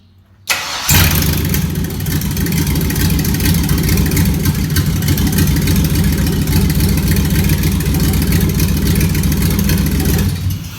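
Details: 1956 Ford F-100 with LS swap, fuel pump heard priming: short crank, catches at once, settles into steady even V8 idle without stumbles; starts and runs normally.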